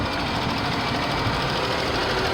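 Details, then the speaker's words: Engine damaged by running short of oil after a wrongful oil change. The oil light is now off, but the engine runs loud and busy with a rough knocking underneath. Engine knock from oil starvation damage. "well there's no more light but the engine is it's noisy see that's what i was telling you"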